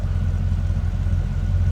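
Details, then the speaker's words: 1966 Chevrolet Impala convertible V8 with Edelbrock 4-barrel, started easily, heard from behind at tailpipes: steady even low idle rumble, no misses or ticks; normal idle. "Nice exhaust note."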